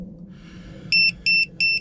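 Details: Semi truck in-cab tire pressure monitor after fitting pressure sensors on the drive tire equalizer system: three short, evenly spaced high beeps as it begins reading, with one tire not yet finished; exact meaning of the alert is unclear.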